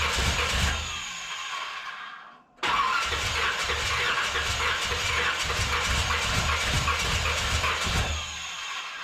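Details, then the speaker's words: 1981 Corvette engine freshly reinstalled, timing checked correct, valves open and close (owner assumes none bent): cranks, catches and idles rough with irregular popping, backfiring out the carburetor secondaries; carb soaking wet, owner suspects overfueling despite adjusted floats. "Hell, you look in here, this thing is soaking wet, but she's backfiring out the secondaries."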